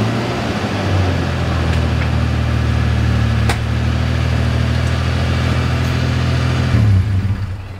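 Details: 1995 Toyota Tacoma 3.4L 4x4 with new exhaust and muffler installed: deep, even exhaust drone held steady for several seconds, then shut down; no rattles or leaks; normal exhaust note.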